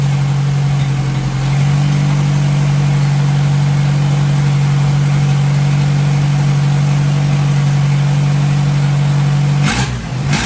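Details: 1957 Hercules flathead four-cylinder engine with magneto, just revived, oil topped up after being a quart low, antifreeze circulating, warm but not hot after over 20 minutes; steady even low hum, no knocks or stumbles; normal idle.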